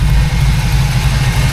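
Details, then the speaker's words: 1979 Pontiac Firebird Formula V8 at warm running temperature, idling around 800 rpm, with a quick sharp puffing tick locked to the firing pulses from one side: an exhaust leak, probably in the middle of that side. "Start running temp about 8 800 RPM. Got an exhaust leak on this side for sure."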